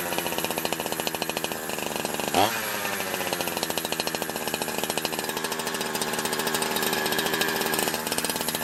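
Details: Holzfforma G372 chainsaw warmed up after crank seal replacement: even, steady high-pitched two-stroke buzz at constant revs, no surging or stumbling, tune holding; normal running.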